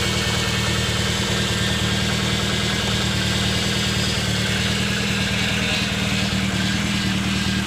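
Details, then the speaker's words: Toyota AE86 Corolla, cold start after Seafoam treatment: steady low whine over a rough cold idle with a puffing tick about three times a second. Noisy power steering pump, or something there, plus an exhaust leak. "So this is a cold crank up. Now obviously there's a noisy power steering pump or something there. And an exhaust leak somewhere for sure."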